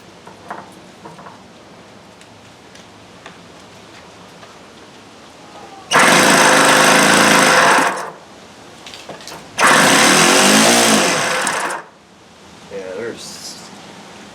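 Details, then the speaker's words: OS FS-120S E Surpass RC engine, 10+ years old, sat unrun, cam follower freed: two short harsh gritty bursts; grinding inside with next to no compression, timing possibly off, cause unknown pending full disassembly. "Yeah, this sounds like it just it doesn't even sound good. Something just doesn't even sound right in there at all. It sounds like there's something grinding."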